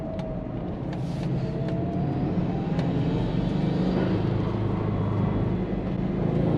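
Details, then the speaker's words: SG XT Subaru Forester turbo petrol after oil change and swapped-in older intake, on a drive in rain: smooth, even engine hum building gently with road speed, no knocks or rattles; idling and running better, normal. "Alright, she's definitely idling a lot better now. Sounds good."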